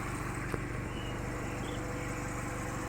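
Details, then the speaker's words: Used Chevrolet car idling after ignition coil 2 circuit fault repaired; quiet, fairly steady idle with slight waver, no misfire, attributed to the car not being new. Normal idle. "நம்ம யாரும் நம்ம ஆக்சிடென்ட்டே கொடுக்கல. Idling பக்காவாக இருக்குது."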